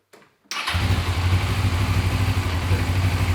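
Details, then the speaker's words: Suzuki GS500 twin after starting: idle settles into an uneven, lumpy, irregular beat; owner suspects an air leak, but brake cleaner on the intakes showed no change, cause unconfirmed. "so it actually looks like there's an air leak or something like that but it sounds like an air leak but I spray a brake cleaner bit on the intakes here and nothing happens so it's probably not from here"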